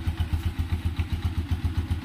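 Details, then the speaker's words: Four-to-five-year-old Honda TMX 125 single-cylinder after tune-up; even, steady low thump at idle with no ticks or clatter on top; engine in very good condition, healthy and well tuned. "So yan yung kondisyon ng makina niya. Napakaganda pa rin."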